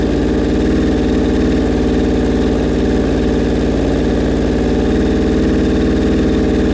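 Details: Suzuki Bandit 1200 at its first start after a rebuild, idle held up on full choke: a loud, low, slightly lumpy idle that never settles. The owner says the carbs are out of whack and not yet synced; his sync gauges are acting up.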